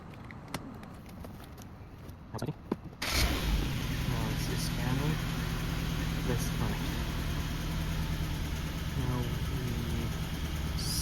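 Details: Suzuki Grand Vitara with rough running and no stored fault codes: engine catches and settles into an uneven, loping idle with a stumbling beat about three times a second; compression test finds one cylinder with low compression, a mechanical misfire.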